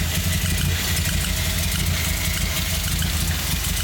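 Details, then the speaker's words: Nissan 240SX (S14) petrol engine with several disconnected sensors from a previous owner, idling: uneven, lumpy low rumble whose beat keeps wavering instead of settling; unstable idle, cause unknown. "Uh, we have idle problems."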